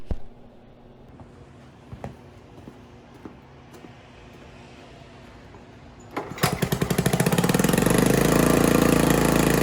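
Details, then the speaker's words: Hybrid 1974 Honda ATC90 with a swapped-in 1972 US90 engine, running after the carburetor was refitted with a new O-ring and copper crush washers. The small single idles in a quick, even putter, faster than it should. Suspected cause is carburetor tuning; air screw about 1¼–1½ turns out. "uh and then if you notice idle's a little bit high at the moment probably need a little bit of carburetor tuning"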